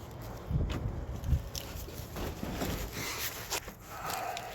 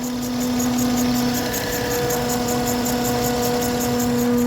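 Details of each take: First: 2012 Acura TL after alternator replacement (earlier wouldn't restart after driving, battery replaced), in very cold weather: engine settles into a steady even low hum with no knock, squeal or whine; normal idle. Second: 2012 Acura TL at idle in very cold weather, battery recently replaced: steady low whine over an even idle with faint rapid ticking; failing alternator whining, suspected of charging intermittently and not charging while whining, to be replaced.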